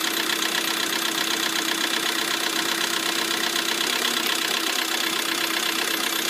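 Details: Lada Priora idling after repair: quick, even light ticking at about four per second over a steady idle; two hydraulic lifters have failed.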